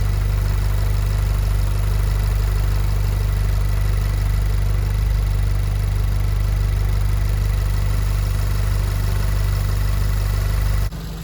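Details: VW Golf 7R with Racingline stage 3 IS38 hybrid turbo, VIS HPFP and decat exhaust, idling after turbo swap while checked for leaks: steady, even idle with a smooth low drone and no knocks, ticks or hunting; the engine is running healthy.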